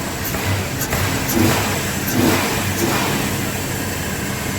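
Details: Customer's truck, previously crank-no-start, after new injectors fitted and tested: engine idles then picks up cleanly on a snap throttle, revs rise and fall without stumble or miss; normal throttle response.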